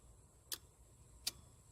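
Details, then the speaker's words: 1992 Silverado with a swapped 5.3 V8, factory TBI harness being rewired. At key-on during the first start attempt, with fuel lines not yet connected, three crisp relay clicks about half a second apart: relays pulling in normally. "relays come on. And everything should be hot."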